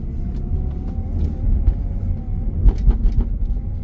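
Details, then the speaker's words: 1997 BMW E36 328i converted from automatic to 5-speed manual, taller economy rear diff; heavy knocking and bouncing at the rear over bumps, low idle rumble with dull clunks; owner suspects worn rear subframe mounting points. "you can hear how it's bouncing this is uh the rear sub frame anyway"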